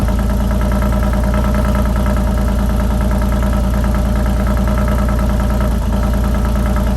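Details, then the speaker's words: Alfa Romeo Giulia Quadrifoglio after installing an Ideal Race carbon fiber intake, cold start in normal (non-race) mode before switching to race mode; strong, steady deep even pulse, no knocks or misses; healthy normal cold start idle. "remember when you start this car it does not start in race mode um so i'm gonna fire it up then i'll put it in race mode and we'll listen to it"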